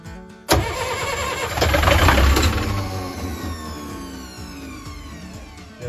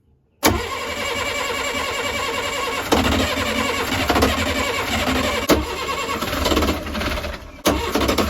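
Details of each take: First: 40 hp marine diesel not started in years, cranking without glow plugs: sharp crank kicks in, surges, then a whine falls away as the starter spins down; the starter engaged and kicked back, but the engine did crank. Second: Perkins 40 hp saltwater-cooled marine diesel, first start after a couple of years, after an earlier backfire through the intake: it catches after a short crank and settles into a steady diesel clatter with rises on throttle; running properly.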